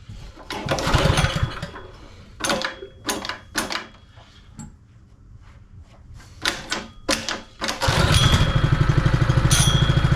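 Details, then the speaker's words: Honda firefighting pump engine, sat unused over 2 years, started while still cold: after some clatter and knocks it fires and settles into a quiet, steady, even idle with no misses or knocks. "I'll just let that idle for a second. See how we go. It's a really nice quiet little motor. Obviously it's an idle speed at the moment."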